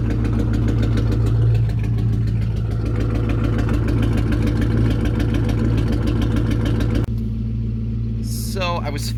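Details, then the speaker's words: 1999 Ford Mustang GT at idle, code P0303: idle stumbles with a regular uneven chuff, roughly three a second, from a cylinder 3 misfire; a new coil pack and spark plug fixed it. "hey guys so today's video is going to be pertaining on the Mustang as I have some type of misfire"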